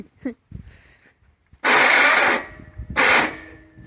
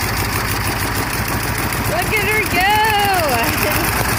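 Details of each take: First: 1300 cc air-cooled VW engine, sat since 1993, first start attempt: two harsh high grinding bursts, one nearly a second long, as starter fails to mesh; this starter is not the proper one for this flywheel. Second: 1300cc air-cooled VW Beetle engine, stored since 1993 (27 years), oil primed and float bowl filled; first start gives a fast, steady putter holding an even idle before running out of fuel; runs after long storage.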